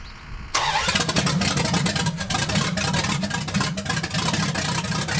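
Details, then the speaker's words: 1980 Dodge short-bed big block V8 during cam break-in on points distributor, first run in 14 years; fires and runs lumpy and uneven with a ragged beat, rough running blamed on finicky points ignition. "those points distributors i mean they just get a little finicky it was on a running vehicle and i don't know just wasn't happy"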